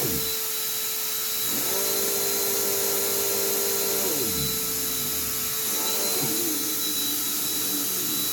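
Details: Lightweight, high-pitched vacuum: a high motor whine with a lower tone that sags, drops away and returns as the brush roll stalls; the belt stretched out while the machine sat, slipping with no burning smell; a new belt should fix it.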